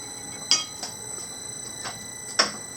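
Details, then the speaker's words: Mechanical printmaking press on a replacement motor with electronic speed control, flywheel engaged, at normal working speed: steady high motor whine with a few sharp metallic clinks, its normal running sound. "Kind of has a whine sound to it, but listen to that clink sound."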